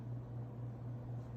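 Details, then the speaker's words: Regency Cabana ceiling fan without light kit, drawing 0.3 A, 27.8 W, then taken to high; steady low motor hum under airy rush, bearings with slight whir; motor described as not the best. "The bearings do have a slight bit of a whir to them, it sounds like."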